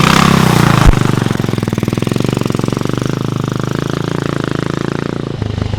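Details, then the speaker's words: Vintage BSA 441 Victor single, started after clearing a rich-running cylinder, no choke and very little throttle: slow, even thump of about three beats a second settling to steady idle; normal clean idle. "You guys, we did it again. One of these days, one of these bikes is gonna beat us, but not today. We got another old British bike running, and that is one of the best feelings ever."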